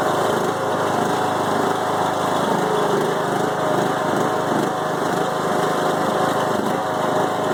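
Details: 5-year-old Craftsman mower with Briggs & Stratton Intek 20HP twin, head gasket replaced after hydrolock; uneven loping idle with wandering speed, bogs while mowing; no longer smokes; rough idle, cause unclear.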